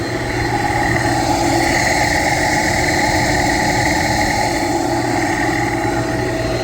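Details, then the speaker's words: Pump after fixing low discharge superheat alarm (sensors recalibrated): loud, steady whirring roar with rough edge and faint high whine; bearings or fan suspected, checked with vibration analyzer, cause undetermined. "so I'll put you up close you can hear how noisy this pump"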